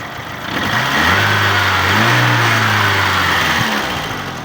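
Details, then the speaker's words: VAZ 2112 with 2111 engine, clean and fully warmed up, steady even idle with one smooth rev blip, no smoke, no misses or knocks; healthy, before a compression test. "не дымит. Работает ровно."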